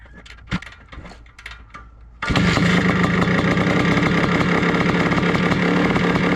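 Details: 1982 Suzuki RM465 two-stroke, big-bore-style primed, after pressure test, leak fixes, exhaust welding and reassembly: quiet kicks, then it catches at once into a crisp, steady two-stroke crackle that holds even; starts and runs healthy.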